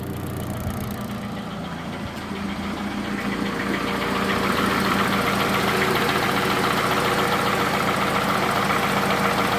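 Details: Toyota Camry 2AZ engine, 220,657 km, smoking from the valve cover: steady idle with a firm, even knock about 3.5 per second over the engine note; suspected from the lower balancer shafts, to be confirmed by teardown.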